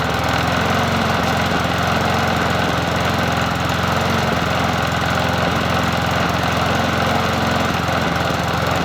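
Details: Bolens 21-inch push mower 11A-B0BL765 on a cool 57°F day, after cleanup and with the spark plug reconnected: steady, even single-cylinder putter at constant speed with no misses or surging. Running smoothly.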